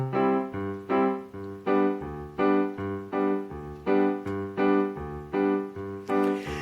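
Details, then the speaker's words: Roland MKS 20 digital piano module playing via MIDI from an MC-50 sequencer, after replacing the dirty bypass relay that caused distorted output; piano chords now ring out clean with no buzz, crackle or distortion. "So, the piano sounds a lot more like a piano now instead of a piano through a distortion box."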